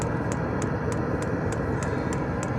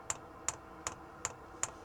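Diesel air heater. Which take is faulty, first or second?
first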